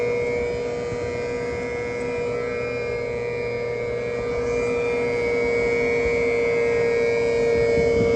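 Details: 2022 Tesla Model 3 rear-wheel drive with heat pump, recorded from outside the car with defrost on: smooth steady mid-pitched whine with a fainter higher tone holding even; heat pump compressor running normally.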